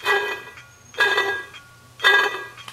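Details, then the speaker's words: 1988 Dodge Dakota 3.9 L V6: ringing, squealing chirp repeating about once a second over a quiet background; worn water pump, pump needs replacing. "that's a good indication your water pump needs to be replaced because it's not supposed to be making a sound like that."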